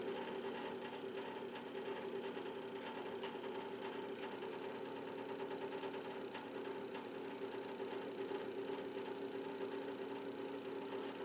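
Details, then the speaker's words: Montgomery Ward fan-forced radiant heater, rewired: steady motor hum with an uneven light rattle; owner thinks it is the fan blade slightly loose on its rubber hub plus play in the bearings. "I guess all that noise is probably just a combination of that blade being a little bit loose on that rubber hub and some play in the bearings."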